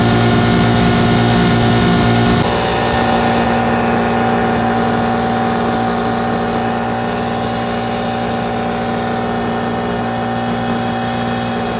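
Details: Two-stroke 8V71 Detroit Diesel V8 from an old tour bus, fuel racks tied at full fuel, in deliberate runaway at high rpm with a steady howl that never settles, with water fed into the blower; it later overheated and locked up once the water was turned off.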